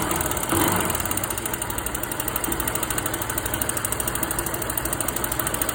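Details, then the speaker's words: Titan 150 motorcycle at idle: a steady, sharp ticking knock that keeps time with engine speed over the exhaust note. Cause found: a loose exhaust valve seat that came out by hand. "Olha aí o barulho, o que que era? Sede de escape, olha a sede de emissão."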